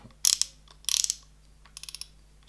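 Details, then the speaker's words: Shimano Ultegra 14000 XSD sea fishing reel, 4.3:1 ratio, retrieve: quick light gear ticking in short bursts as the handle turns, no grind or rough spots; very smooth, healthy reel. "very smooth as you'd expect from Shimano this reel"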